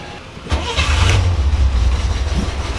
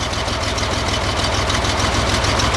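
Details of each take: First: 1963 Chevy Corvair Monza engine cranks and catches, then idles with a light regular tick from a loose valve during valve adjustment; the tick went away when the first valve was loosened. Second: 1963 Chevy Corvair Monza air-cooled engine after valve adjustment: steady even idle beat with no valve-train tapping; running as it should.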